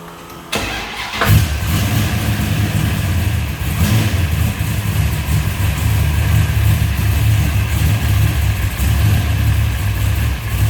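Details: 1967 Dodge Dart GT, 440 V8 stroked to 540 ci, 10.5:1 compression, dynoed 691 hp at 6,000 rpm, fuel pump and dead-man switch on: quick crank, catches, deep steady even idle with strong low rumble; healthy big-block.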